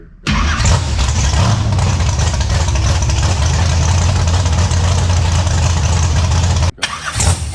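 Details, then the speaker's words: Big block Chevy Nova V8, first fire-up with updated ignition and nitrous control: cranks and catches quickly, settles into steady, even idle with no knocks or misfires until shut off; runs and sounds good. "But yeah, it runs. It sounds good. Nitrous system works."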